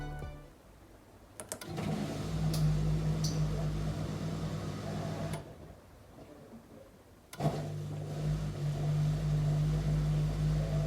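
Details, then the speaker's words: Miele dishwasher showing error F24 or F51 at program start: steady low motor hum as the drain pump runs for about 100 seconds to empty water after the heating fault, then stops with the error remaining. "appare l'errore f24 o f51 e fa un rumore per un po' questo rumore che sentiamo è la lampadina che serve per scaricare l'acqua dalla macchina e rimane accesa per circa 100 secondi"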